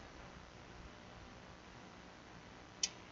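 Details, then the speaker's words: Repaired Emphaser EA2500D car audio amplifier powered on via remote lead with main cables connected: quiet hiss then a single crisp relay click at switch-on. Normal power-up. "Voilà, on entendu le claque."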